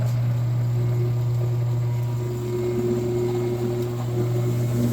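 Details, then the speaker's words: Machine motor on a 24V control circuit that had shorted, after the faulty drive was replaced with a new one: a steady low electric hum with a faint higher tone and no crackle or stutter. Normal motor running. "네. 잘 되고 있어요. 이거는 삥삥삥삥. 잘 돌죠. 아싸 고쳤다."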